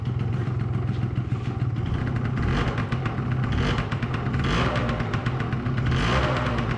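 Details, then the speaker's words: 2005 Yamaha YW50 Zuma 50cc two-stroke, just revived after sitting, smoking heavily, battery 12.8 V and charging: loose clattery idle that stumbles and surges instead of holding steady; rough idle. "really putting out some smoke but I think it's clearing up glad it's idling batter is at 12.8 so it's charging too it's just that's a rough idle it's alive"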